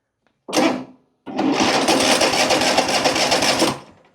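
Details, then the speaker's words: Riding lawn mower, no-start check without choke: a short crank, a pause, then fast harsh buzzing chatter for about two seconds with no start; abnormal cranking noise, though it starts fine with choke. "That doesn't sound natural, but anyway."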